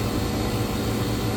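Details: Electro Freeze ice cream machine refrigeration unit, pressures leveling out near 175 psi head after an overcharge and CAN RFG error with the cabinet not pulling down: steady fan-air rush over a low compressor hum, no knocks or rattles. Running smoothly.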